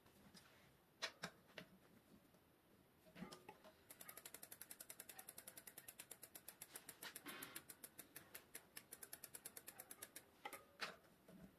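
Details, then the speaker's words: Bicycle disc brake after degreasing pads and disc that were squeaking from oil contamination, wheel refitted; fast even freewheel ticking about eight clicks a second, no squeal or rubbing. Brake quiet, normal. "après cela, votre vélo ralentira. bonne qualité. il n'y aura pas de sons parasites. tout ira bien !"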